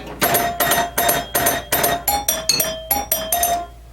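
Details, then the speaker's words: Early Williams Electronics solid-state pinball machine startup melody on aluminium chime bars: quick run of about a dozen strikes, one note sounding flat and off-key; out-of-tune chime note, cause suspected, not confirmed. "yeah, that sounded a little bit out of tune too, right there."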